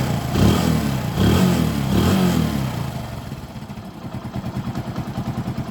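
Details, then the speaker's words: Hero Passion Pro motorcycle that would not hold idle, after its blocked carburetor was cleaned and refitted: a couple of clean throttle blips, then a steady, even idle with no missing or stumbling; normal revving, problem fixed. "ഇനി നമുക്കൊന്ന് വണ്ടി start ചെയ്ത് നോക്കാം. നമ്മുടെ complaint ഇവിടെ തീർന്നിട്ടുണ്ട്."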